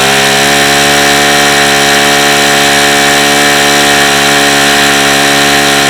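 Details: Saito FA-45 original ringless ABC four-stroke model engine, hot: loud steady high-revving buzz with rough gritty edge; tired engine, front bearing badly worn, seepage from front hub.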